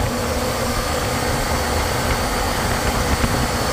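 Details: Condensing unit of a mid-temperature refrigeration system after correcting a backward liquid line solenoid valve; 45° suction line, pressure 45, superheat about 30: steady, even hum and airy rush with no knocks; normal running.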